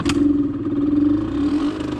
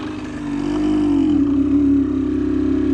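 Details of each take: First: Suzuki SMX 50 two-stroke after engine rebuild (connecting rod bearing), first start before break-in, after sitting several days: fires and holds a buzzy, steady high idle on choke, smoking as expected, no misses or rattles; normal cold start. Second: Suzuki SMX 50 two-stroke on first break-in test ride after engine rebuild: drones flat at low revs, then pitch wavers and climbs as it comes onto the powerband; no power down low, owner suspects the needle should be raised for richer fuelling.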